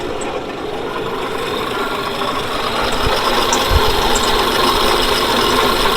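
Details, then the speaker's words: 1940s Dodge army truck/fire truck after sitting about 30 years, running after coil replaced: steady, even idle with quick regular firing, no misses or knocks; oil pressure around 20–30 psi, float bowl topped up. "Pressure, we'll say 20, 30 psi if this is what it stalls to. I still can't get over how that idles though."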